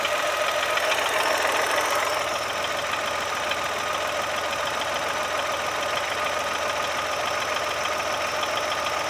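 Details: Brand-new Chevrolet Onix Plus at idle: light rhythmic chatter about three and a half per second with thin whine; dealer's solenoid valve replacement didn't help, cause was the alternator belt tensioner.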